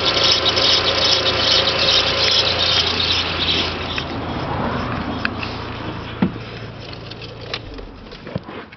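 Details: 1.8T, cold start after sitting 6+ hours, right after timing belt, tensioner and water pump change: shrill rubbing squeal lasting 3–5 minutes then fading. Cam sprocket bearing first suspected; solved as a seizing small timing belt tensioner idler bearing.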